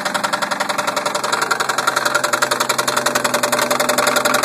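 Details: 1990 Toyota Supra turbo, 5-speed: a sharp, even knock about three to four times a second rides over the running engine, steady and getting slightly louder. Engine knocking, cause unknown.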